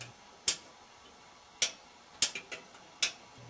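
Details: General Electric top-load washer not starting: four crisp clicks as the mechanical lid switch, lever bent with pliers to adjust, trips on opening and closing, now working as it should.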